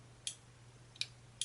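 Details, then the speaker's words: Grizzly G0758 bench mill: three crisp, sharp clicks a fraction of a second apart over a faint low hum, as the chuck guard's limit switch, which cuts the machine, actuates normally. "you can hear the clicking right there so and that does work cuz I already found out it does"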